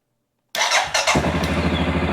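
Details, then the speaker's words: Suzuki King Quad 750 ATV after fuel filter replacement for random stalling, new battery, fresh gas, primed 4–5 times, in neutral: brief crank then catches at once into an even steady idle; starts better than usual. "Ooh, started better than it normally does. I'm gonna let it run for just a second."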